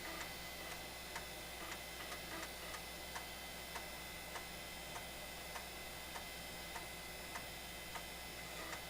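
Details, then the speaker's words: Floppy drive in a 25-year-old IBM Aptiva copying MS-DOS 6.22 files from original disks: quiet, irregular clicking about every half second over fan hum; normal seek and read. "I don't know if you can hear over the fan noise but the floppy Drive is chugging away miss that sound was such a cool"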